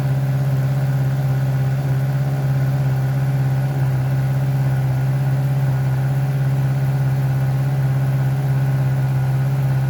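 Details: Heavy motorcycle at idle after exhaust repair, polish, paint and reinstall: deep, steady exhaust beat, even and smooth with no misses, knocks or rattles; normal idle.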